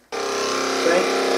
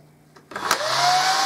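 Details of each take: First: Hoover Dustette 100/2614 enclosed motor run briefly with a spare armature: snaps up to speed with a harsh, rough, buzzy whine; the armature is faulty and risks burning out the field if run longer. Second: Hoover Dustette 100/2614 motor, run out of the machine and hand-held after overhaul with the good armature: spins up quickly to a steady, even whine with no rattle or scraping; smooth motor.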